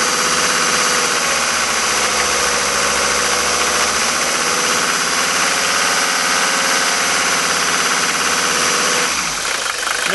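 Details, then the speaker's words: Five-cylinder Mercedes diesel, cold at 51°F after sitting overnight, after replacing worn nozzles with Bosio nozzles: even, steady idle with no pinging, hammering or detonation over the clatter; normal smooth idle. "how smooth the engine is this is just an example of what happens when you've got nozzles such as this one that is absolutely worn out"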